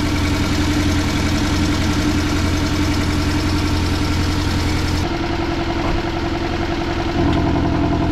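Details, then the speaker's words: Porsche 718 Cayman S four-cylinder pulling out of the garage: steady idle with a light tick about 2–3 times a second. Owner believes it is hydraulic lifter tick, which is intermittent; he treats it with a Liqui Moly additive. "so I'm really glad I just recorded me pulling out of the garage because you could hear that ticking and it doesn't always happen so that ticking noise usually only happens like if the car's been sitting for a while"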